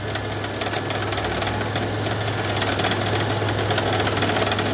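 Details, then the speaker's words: 2001 petrol V6 idling: steady knock about three to four a second over a low hum, from the passenger side toward the rear of the engine; goes away with AC on, owner suspects AC bearing or pushrod, unconfirmed. "but it's coming out of this side passenger side more towards the back of the engine"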